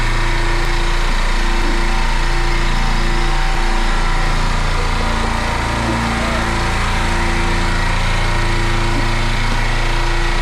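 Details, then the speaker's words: Dental office air compressor after a leaking pressure switch was fixed, building pressure toward its 100 psi cut-off. Steady, fast, even pumping at about 3.5 strokes a second, no knocks or squeals. Normal compressor running. "so the okay so the pressure right here it's going up it's going to stop at 100"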